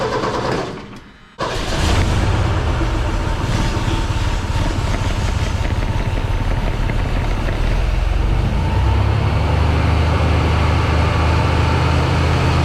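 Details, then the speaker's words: 1979 Ford F100, 300 straight six, parked since 1992, first start: Holley 390 four-barrel carb, Offenhauser dual-port intake, new Hedman headers smoking heavily, cooling system on plain water. Starter cranks, then a deep steady rumble settles into an even idle with no misses or knocks. "I think it's going to be good. It's idling pretty good. It's hard to tell because there's just so much smoke."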